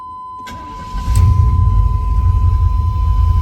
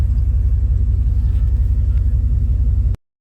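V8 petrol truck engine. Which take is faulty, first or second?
first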